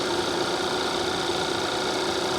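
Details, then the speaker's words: Car at auction, engine idling with AC running cold: steady, quiet idle with no ticks, knocks or stumbles, purring like a kitten; normal healthy idle. "Again, just purrs like a kitten."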